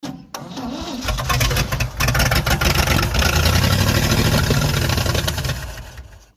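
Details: Chevy 283 V8 first start in 40 years: cranks briefly, catches and settles into lumpy, uneven run, possibly late ignition timing; rough first start after long storage.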